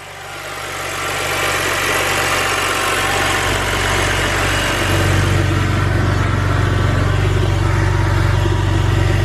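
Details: BMW N52 engine idling after engine flush and refill with about 6 litres of Mannol 5W30; steady even idle, no knocks or ticks, revs settle smoothly, no oil pressure light; healthy.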